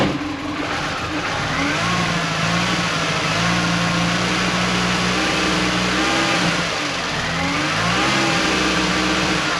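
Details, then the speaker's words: Mini Cooper with supercharger, after water pump, cooler lines and oil filter work: engine revs with an uneven, stumbling beat, misfiring; erasing codes didn't help, throttle body suspected, not confirmed. "Definitely sounds like it's misfiring."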